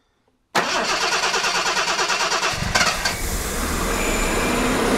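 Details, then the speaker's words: 1975 Jaguar XJC after sitting 7 years, running too rich with suspected internal carb leak, cranked by hot-wiring past a suspect starter relay whose connections were cleaned: cranks about three turns a second for two seconds, catches, rough idle; relay cause unconfirmed. "all right let's go and hot wire and i gotta really have a look at that relay all right let's try this again"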